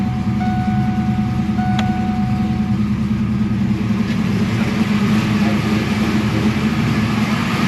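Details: Foxbody Mustang 347ci with Holley Terminator X after upgrading to a 255lph fuel pump: even steady V8 idle, smooth low rumble, no knocks, misses or surging; engine sounds healthy.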